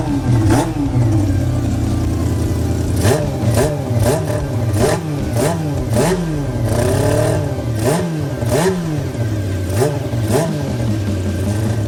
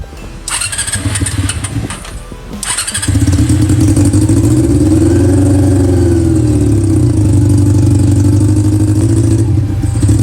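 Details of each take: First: Honda CB400 four-cylinder engine with four square carburetors, fitted to an off-road golf cart with a modified throttle linkage. Steady idle broken by a dozen quick, clean blips; it revs freely and sounds healthy. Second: Honda CB400 four-cylinder with four square carburetors in an off-road golf cart, during carb tuning: catches after a couple of cranks and runs fairly fast, revs drift and it won't settle to idle; it revs but won't hold idle, sometimes hard-starting.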